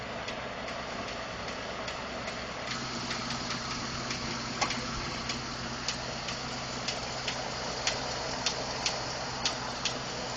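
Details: 2012 Ford F150 5.0 V8 warm idle after running a while; sharp light ticks about once a second, uneven spacing; owner told it may be normal injector, fuel pump or tolerance noise; cause unconfirmed.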